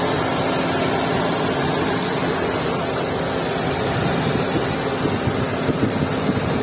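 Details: Maruti Suzuki Swift 2022 at idle: thick droning idle with a faint steady tone and a few uneven surges near the end; engine sounds abnormally heavy.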